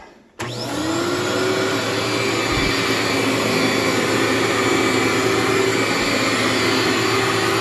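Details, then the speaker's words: Cleartrak/Workhorse vacuum after brush and belt replacement, set to floor: clean start, then smooth steady motor roar with even brush whir, no knocking or squeal; feels like a new machine. "and vacuum up there for you feels like a new machine just digs right in there"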